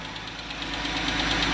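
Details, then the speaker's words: Jeep Grand Cherokee 3.6 Pentastar V6 at idle, quick even light tick about eight per second, heard mostly on bank one; suspected rocker arm valvetrain ticking, cause not confirmed, repair planned. "guys I'm no Pro or no well I'm I'm all right at this but if I had to take a while guess but y'all say ladies and gentlemen this is bank one that ticking noise is coming from bank one"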